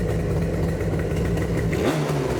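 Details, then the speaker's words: 1979 Yamaha RD400 Daytona Special two-stroke after brake repair and carb reinstall with no fuel leaks, one kick on choke: crisp, even buzz picking up cleanly on blip, no bogging or misfire. Normal idle and revving. "Wow, she sounds so much better."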